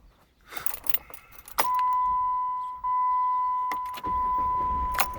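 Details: 2008 Jeep Commander, hot restart soon after a long drive, fails to start until 10–20 minutes later; with the key released, a steady high-pitched tone hums until the key is removed, breaking briefly twice. Starter and ignition switch already replaced; cause unknown.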